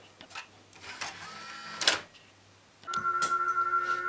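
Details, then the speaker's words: Later Philips CD player playing a disc with a black line across it, a track that a 1984 Philips CD104 plays fine: music stutters with clicks and broken fragments, then a harsh held tone; CD mistracking on damaged disc. "so you'll hear this one is now having a great deal of trouble tracking that track, which this one managed okay."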